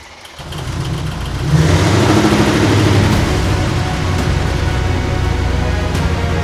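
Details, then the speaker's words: Mercedes GT63S 1500HP build engine on first start after ECU flash, tensioners pumped first; catches to fast idle with light quick top-end ticking; noisy lifters on first start. "No, lifters."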